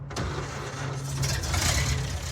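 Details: Ford F100 truck before the build, junky paint but solid body, runs and drives: engine catches straight away and settles into a steady, even idle with no knocks or misses; normal start and run.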